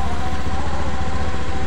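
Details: Honda Beat eSP scooter idling with the battery negative terminal disconnected during a charging check (still charging, ECU judged fine): steady, even low putter with no misses or knocks; normal idle.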